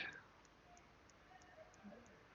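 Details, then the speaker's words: SteelSeries Siberia Elite Prism headset mic while recording: faint, even clicking of about three ticks a second over quiet hiss, caused by the headset lighting; it disappears when the lights are switched off via an audio-volume-trigger profile. "the fact that when you're recording they start making a sound like click click click click click what you probably hear right now in the recording"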